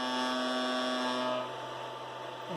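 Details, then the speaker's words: Anycubic i3 Mega 3D printer with motors running: loud steady electrical buzz and hard drone that softens when the platform or bottom is pressed; some part of the frame resonating, cause not found. Frame vibration buzz. "but something is vibrating if I am pressed on the platform or the bottom here yeah you can notice that the vibrating sound goes away so it is really loud I don't know something is making this entire thing vibrate"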